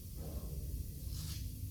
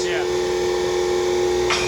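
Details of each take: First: Newly assembled Bendpak car lift, unloaded: soft brief burst of air hissing over a low hum as the air locks release, all four dialed; it lowers very slowly with no weight on it. Normal air lock release. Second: Newly assembled Bendpak car lift, raised, not yet bolted down: steady pump hum with safety lock clicks landing a moment apart instead of together; locks out of sync and need adjusting.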